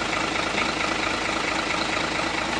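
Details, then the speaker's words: Hino Lohan 500 FM 260 Ti truck J08E diesel just reassembled after overhaul: steady, even idle clatter, no knocks or misses, described as very smooth; normal idle. "untuk bunyinya sangat halus yakni sangat halus"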